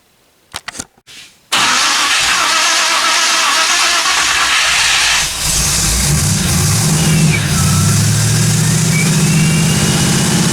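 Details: 1957 Chevy 210 project, new cam break-in run about 20 minutes: brief crank, catches and settles into steady even idle, no valvetrain ticking or knocking; normal idle.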